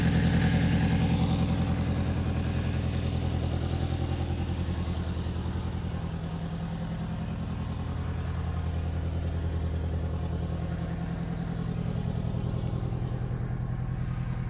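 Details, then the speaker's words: 1994 Honda Accord turbo at idle, smoking and burning oil badly: steady low idle with a faint, even puffing tick about three per second; owner suspects an exhaust leak up front near the turbo. "I think it's got an exhaust leak somewhere up front here I can hear it from the turbo"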